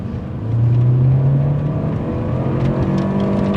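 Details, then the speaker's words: Automatic first-generation Mini Cooper with CVT, under acceleration: engine drone climbs, then pitch stalls and steps around mid-pull before picking up, the transmission hanging up, a known CVT flaw. "Oh, yeah, it like, the transmission hung up there a little bit, is that it? You know why it did? Why? Because this Mini has a CVT."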